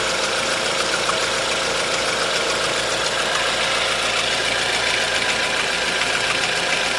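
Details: 1.4 16V engine at idle with a light, fairly fast ticking knock about two per second; tensioner and chain were checked and the belt removed but the noise remains, source still unclear: engine knocking at idle.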